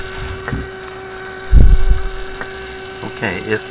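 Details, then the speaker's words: Steady mid-pitched tone under handling bumps and knocks, from a 1967 Heathkit Electronic Projects Kit AM transmitter circuit on a 6 V bench supply during transistor bias adjustment; owner suspects hum from a noisy power supply and considers a battery or big capacitor. "now my power supply may be very noisy it's pretty broad pretty broad okay so i'm gonna have to switch this to a battery supply or put a big capacitor in here"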